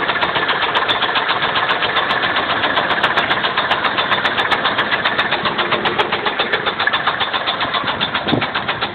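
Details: 2000 GM cube van with the 5.7 V8, 121k miles, knocking right after a head gasket job. Sharp, regular knocking about 220 per minute over the idle. Rod knock or valve train suspected, not confirmed.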